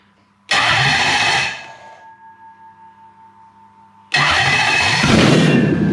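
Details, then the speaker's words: Toyota 1UZ non-VVTi V8 from a Soarer with stock Soarer ECU, swapped into a Landcruiser on a new loom, testing supplied airflow meter and igniters: short stuttering stepper-motor reset pulse at key-on, then the V8 catches and runs steadily; normal start. "You'll often hear me go dooka dooka dooka when they turn on. That's the sound of the stepper motor resetting."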